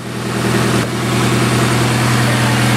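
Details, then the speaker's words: Nissan S14 Silvia first start in a long time after valve cover gasket reseal and new power steering pump, in neutral: steady even idle, smooth low hum, no ticks, knocks or hunting; normal idle. "all right there we go starting right up"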